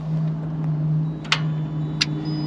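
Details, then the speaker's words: 2014 Jeep Grand Cherokee 5.7 Hemi V8, 93,633 miles, towed in: only a couple of sharp single clicks over a low steady hum, with no cranking; starter clicks but the engine won't crank, battery still to be tested. "I hear some clicking but I don't hear any cranking"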